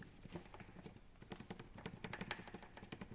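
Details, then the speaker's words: VAG transverse petrol car (Skoda Octavia/VW Jetta type), warm engine idling; quick irregular light tapping from front right under dash: white fuel tank vent (EVAP) tube moving freely inside frame rail, pulsing with purge valve vacuum. "а белая трубка эта вентиляция топливного бака и вот вентиляция топливного бака у нас и тарахтит вот эти трубки они проходят внутри лонжероны или усилителя они тут свободно перемещаются"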